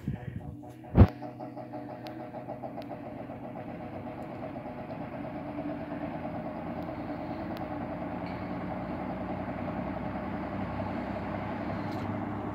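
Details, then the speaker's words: Kenmore box fan on low after bushing and motor repairs: switch click, then soft even whoosh and hum building slowly over several seconds to full low speed; normal for its age, much quieter than before, no longer needs oiling every 30 minutes. "it does take a little while to get up to speed that but that's very normal especially for a fan of this age now this is about as fast as it goes in low it is very quiet compared to when i first got it"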